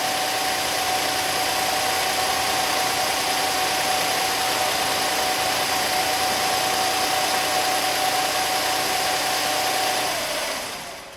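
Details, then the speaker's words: SEAT Ibiza after engine refit, idling after a cold start: even steady idle with constant hum and light hiss, no knocks or misses; healthy, only slightly low on oil. "So I'm just going to start this now from cold and let's see how we get on. Need a bit of throttle. Now I reckon that's good."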